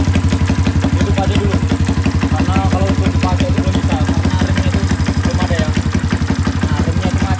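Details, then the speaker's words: 1981 Kawasaki Binter Mercy 200cc, after carb cleaning and plug fitted: restarted by kick without touching throttle, now starts easily and holds an even, low thumping idle on its own. Normal idle. "oke ya Jadi untuk hidupnya itu sudahah gampang untuk hidupnya itu gampang gak perlu kita pegang gas hidupkan kontak engkol dia bisa hidup normal langsam ya sa hidup normal"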